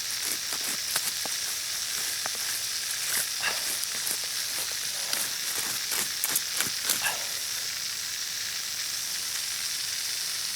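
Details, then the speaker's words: Backyard drip irrigation line with the water on: a steady high hiss like water escaping under pressure, with rustling; the listener suspects two leaks nearby but can't pinpoint where. "ears are are playing playing hookie on me it sounds like I I'm hearing two leaks and I'm not sure where they're at"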